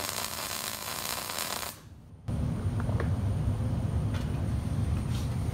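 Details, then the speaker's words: MIG weld with the ground clamp holding the piece to the table: steady, even crackling sizzle under two seconds, stopping clean, leaving a good bead; normal well-grounded arc. "all right you heard that really sounded good you know and the bead looks good on it you can see that from here that it's a good looking bead um laid out nicely there"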